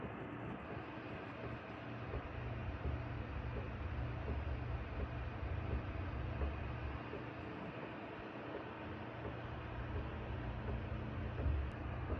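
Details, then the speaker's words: Air conditioner at season's first use: low uneven rumble with fluttering beats over its hum, growing louder; technician says something just needs fitting on the outdoor drain hose, cause suspected, not confirmed. "소리가 점점 커지네. 이놈 소리 나는 것 때문에 지금 아저씨 오셨는데 소리 나는 영상 보여 드리니까이 밖 여기다가 뭘 끼우기만 하면 된대요.이 호수 쪽에."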